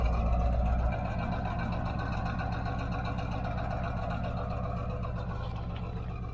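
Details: 1977 Corvette V8 after fitting new mufflers. Deep, even burble at a fast idle, about four pulses a second, smooth with no rasp or leaks: a normal, healthy exhaust note.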